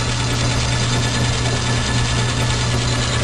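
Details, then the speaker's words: Logan lathe on high speed after new idler bushing: steady hum with a faint repeating chunk about twice a second; owner suspects the big pulley is out of balance, unsure. "Got some kind of chunk going on here. I think that big pulley's out of balance. I'm not sure."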